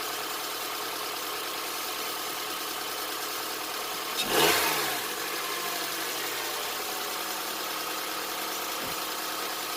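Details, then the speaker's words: 2007 Honda Accord, first start after timing chain replacement (Melling kit) and valve lash adjustment: smooth, even idle with a steady hum, no top-end ticking or rattle, one brief bump midway; no check engine light, normal idle. "Let's start her up, hope for the best. Sounds good, no check engine light."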